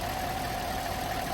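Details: Chevy Silverado V8 first fire-up at idle after cylinder 5 misfire repair (worn cam lobe, new soaked lifters): short quiet even idle with faint steady tone, no misfire stumble; running smoothly.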